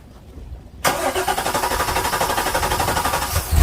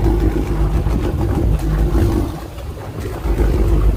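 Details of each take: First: Direct-injected Volvo Penta boat engine with a reported hard start and fuel smell when running: starter churns in even pulses for nearly three seconds before catching, far longer than the usual one or two cranks; hard start. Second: Tiara 43 boat, three Yamaha outboards fired up after centre engine battery replacement to check they sound the same: low, even burble with no misses or knocks before shutting off; all running normally.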